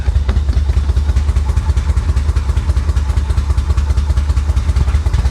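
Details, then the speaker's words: 1985 Chevrolet Corvette, long-sitting swamp car, running off its own tank: loud, uneven low thumping about two and a half beats a second at idle; rough running, owner suspects fuel injectors, improves as it runs. "oh wow that doesn't sound healthy that doesn't sound healthy at all"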